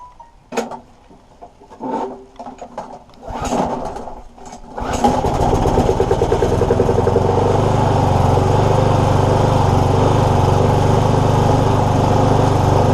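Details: Free lawnmower, hydrolocked and filled with oil, now refuelled and test-started: a few recoil pulls, then it catches and settles into a steady, even beat of about four per second. Normal running after the fix.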